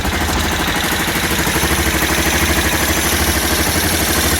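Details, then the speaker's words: Aprilia Pegaso, cold start on a little choke after new carb inlet rubbers and cleaned carbs cured its running problem, ticking over sweetly with an even, steady thump and no misses or knocks. "so I think it's a bit of a success story then with it running sounds quite sweet actually ticking over there"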